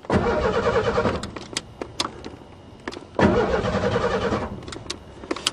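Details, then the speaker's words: Two bursts of cranking, each catching briefly then dying; the car ran in winter but now won't start. It was not the coil. "doesn't make sense how could it run in the winter time and not start now oh my god I hate this thing"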